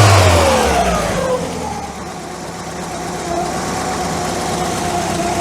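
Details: MK2 Volkswagen Scirocco that failed MOT emissions and is smoky on start-up, with leaking valve stem seals suspected on cylinders 1 and 3. Hot and cold compression looks fine, so the bottom end is not suspected. It revs and drops back smoothly with even firing.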